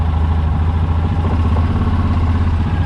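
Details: Yamaha Rhino 700 just after engine rebuild with fresh parts: steady, even low rumble with no misses but idle sits a touch fast; idle speed needs turning down and throttle cable readjusting.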